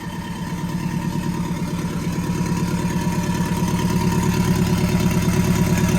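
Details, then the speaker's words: VW Bug with Subaru engine swap, freshly got idling, ECU self-tuning and probably adding fuel, alternator reading about 16 volts; steady, even idle with deep regular pulse about three per second, no knocks or misses, aggressive sound; normal idle. "sounds really good very very very aggressive so she's running really good"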